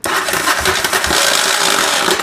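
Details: 1985 Yamaha Virago 700/750 cranking: harsh metallic grinding and clatter through the whole crank with no catch or firing; starter clutch slipping and grinding.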